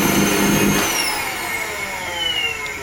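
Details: Wertheim 5030 vacuum cleaner: the motor whines down from speed with a rough, gritty grinding roar underneath, a failing motor to be replaced.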